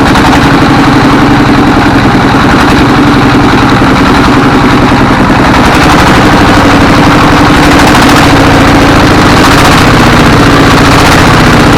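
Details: A 24 HP S1115 single-cylinder diesel thumps unevenly at about 220 beats a minute, with thick black smoke and unstable revs. The governor and balls are fine, so injection is suspected: hunting from a worn injector nozzle.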